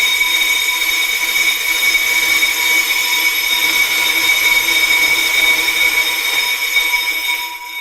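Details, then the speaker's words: Pro-Cut 9.2 DRO on-car brake lathe, manually removing a small rusty ridge on a newer vehicle's rotor: steady high whine with even upper tones, then fading; normal cutting. "So we have a tiny little rusty ridge on this newer vehicle that we're demonstrating with today. So I'm going to turn on the machine, and then again, I'm going to rotate out by hand"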